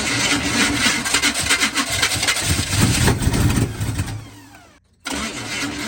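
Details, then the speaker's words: 1980 Chevy K30 squarebody, TH350 automatic, about 15 degrees out, fuel hose not yet replaced, fuel rigged from a can instead of the gas tank: cranks, catches, runs rough a couple of seconds, then rpm falls away and it stalls. "that's sketchy don't use as plan as can as the gas tank yeah runs for like two seconds and then dies"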